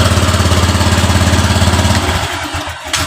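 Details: Honda Vario 125 LED scooter that lacks power and stalls while running: a slow, lumpy idle pulsing about 3.5 beats a second, sagging toward stalling. Idle rpm is set too low, so it is being raised to 1400–1500 and throttle opening corrected from 0.5 to 0.4.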